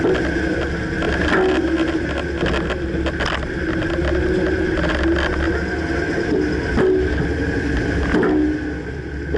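Hollow clunks every second or two over steady road rumble while driving; the clunk's source can't be pinned down by ear.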